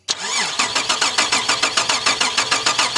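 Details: Holden VR Commodore manual project car with no injection, injectors dry, a wire being tried: starter spins the engine evenly at about three compression pulses a second, never catches; crank no start.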